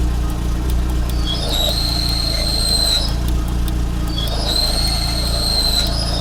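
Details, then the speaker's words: Car at 112,000 km, engine idling in gear: a high whistling squeal comes in twice, about a second each, as the clutch pedal is pressed. It started as a noise and now whistles. Owner suspects the clutch release bearing and plans to replace it. "вот и в начале просто был шум А сейчас засвистел уже сцепление Ну по ходу дела выжимной подшипник"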